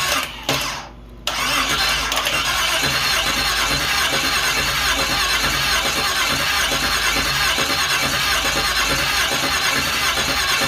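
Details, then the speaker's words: 5.3L LS V8 from a Suburban, swapped into promod rock crawler replacing 2.3 turbo Ford, first start after priming oil pressure; brief crank then steady even idle, loud exhaust, no knocks or misses: normal running. "it's running and it's actually quiet"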